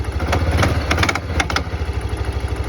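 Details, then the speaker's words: 1991 Kawasaki Bayou 300 4x4 on cold start: lumpy low idle with sharp metallic clanking knock that stops once warm; persists after oil change. "when it first starts up i hear an awful clanking sound you guys hear that knock"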